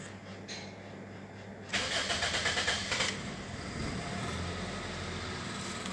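A quiet moment, then a second of quick cranking pulses; the engine catches promptly and settles into a smooth, steady idle.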